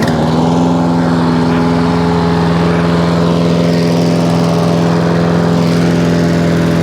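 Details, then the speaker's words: Hayter 56 Pro mower after carb clean, new governor spring (old one missing) and new air filter, arm adjusted: settles into steady, even governed-speed drone, no hunting or surging; running properly. "okay that's lifted the arm up that's better there's a bit more that's better we like that there hey okay h856 now all up and running exactly as it should do"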